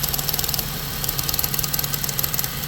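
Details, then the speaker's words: 2015 Ford Transit 350 with check engine light returned after fuel pump repair: EVAP purge solenoid commanded at 20% duty cycle gives fast even ticking over steady idle with brief dropouts where it hangs; owner suspects sticking purge solenoid, plans replacement. "now back to the duty cycle hear it at 20% see how it's you hear how it's hanging every once in a"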